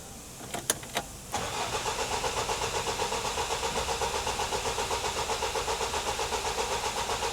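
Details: Vauxhall Vivaro van on a no-start: a few clicks, then steady cranking at about four strokes a second that never catches, after fuel priming. Low fuel pressure at first sent checks down the fuel route, but the cause was the immobiliser not reading the key.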